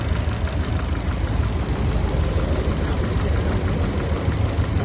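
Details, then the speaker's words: 2014 Kia Picanto with misfire and stored codes P0011 and O2 sensor circuit bank 1 sensor 1: uneven, stumbling idle thump; cylinder 2 shows weak response in the plug-wire test; single-cylinder misfire. "دي الطريقه البلديه بنلاحظ انه نمره اثنين هو شويه ال الاستجابه بتاعته ضعيفه"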